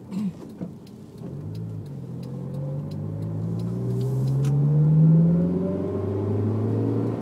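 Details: Honda S2000 accelerating: steady whine rising in pitch with speed, present only with foot on the gas; owner unsure whether differential or transmission, unconfirmed.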